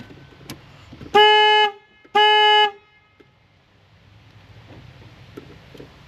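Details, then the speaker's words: 2002 Nissan Xterra with a blown head gasket: two loud, steady horn blasts about half a second long, a second apart, then silence; the anti-theft alarm fires the horn, cause unclear. "Why is my horn going off? I think the 2002 anti- theft is having problems."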